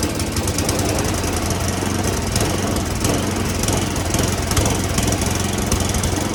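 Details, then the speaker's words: Roadside free snowblower said to have a toast motor, carburetor sprayed with Seafoam and smoking: small engine runs loud and ragged, uneven stumbling beat and steady rattle; rough running from dirty carburetor. "This is what I'm talking about. Yeah, little smokage going on here. So I'll try to seafoam a little longer, but that's an easy fix to try to do."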